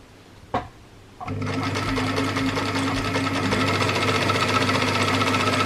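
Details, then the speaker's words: Very old sewing machine sewing a fabric speaker sock, jerky foot pedal; steady mechanical chatter near four stitches a second surging fast and slow, dry mechanism, owner says it sounds like it needs oil. "nice the food paddle is a bit U jerky fast slow fast slow it's an old machine very old machine so yeah the thing makes a bit sounds like it needs some oil"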